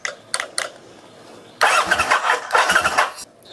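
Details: Kawasaki Vulcan VN800 with a clicking no-start via fuse box and starter relay, recurring after rain. A few sharp clicks, then the engine catches in uneven bursts and settles.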